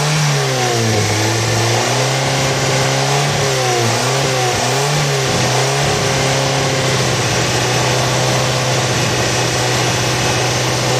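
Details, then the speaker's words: 2004 Corsa Evolution 1.8 with very unstable idle shake, drastic fuel consumption and no power at high rpm: engine revs up and drops back unevenly, pitch wavering, then unsteady idle; rough running, nearly stalls, oxygen sensor disconnected during test, cause undetermined. "como podemos apreciar el motor está muy tembloroso ya está full tembloroso inclusive llega a pagarse"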